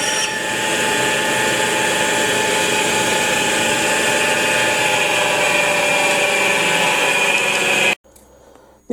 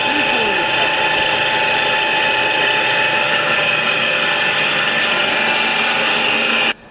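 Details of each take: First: Truck flywheel resurfacing on a flywheel grinder with rotary table: steady high-pitched grinding hiss, constant motor hum, little cutting bite, almost nothing removed, wheel edges crumbling; grinding wheel loaded and needs dressing. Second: Truck flywheel on a rotary-table grinder, taking about 0.05 mm per pass: steady high hiss and whir of the stone at even pitch, then cutoff; a normal resurfacing pass.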